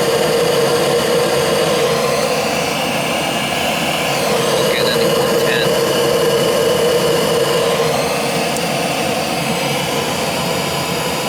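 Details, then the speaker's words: Gas boiler, no heat: the vacuum switch tests good, but the hot surface igniter gets no voltage. Steady whirring inducer hum at one pitch with no light-off following. Failed control board. "it would go through the vacuum cycle through the and I had power coming in but nothing was going through our surface igniter"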